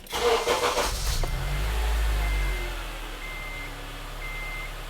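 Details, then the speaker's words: 2007 Honda Element with a low, fluctuating idle, restarted right after a five-minute idle learn procedure: a brief crank catches at once, flares and settles into a smooth steady idle. "I'm going to turn on the air idle seems stable we're all good"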